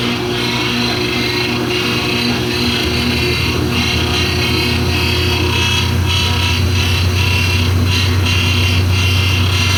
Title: GE washer with grinding noise 2